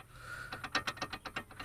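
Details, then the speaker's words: Skoda Fabia / VW Polo (also Skoda Rapid) with FS-III caliper: sharp metallic clicks as brake pads rock back and forth under braking; pads have worn pits into the caliper carrier guides, fix is replacing the carrier or welding up and levelling the guides. "итак почему стучат колодки на skoda fabia а также volkswagen polo и по-моему skoda rapid суппортом fs3 когда новые клыки зазора такого большого нет и колодка так не скачет при торможении вперед вперед назад вперед назад"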